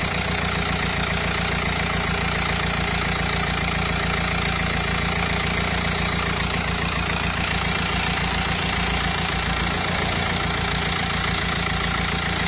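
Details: Renault Espace 2.0 dCi diesel at idle: steady, fairly regular knocking rattle about three or four times a second over the clatter, abnormal engine noise, cause unclear.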